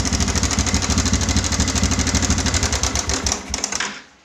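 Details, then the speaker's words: Yamaha Bison modified as a bobber, engine idling: harsh fast metallic rattle about three clatters a second over a lumpy idle; customer feared a connecting-rod fault needing engine teardown, but cause was only a failed cam chain tensioner. "Oke, itu suaranya mengerikan sekali, dan si konsumen motor ini dia sudah agak berpikir, dikira itu suara di bagian stang seher atau di bagian dalamnya. Dia kira motor ini sudah harus turun mesin, tapi saya bilang tidak."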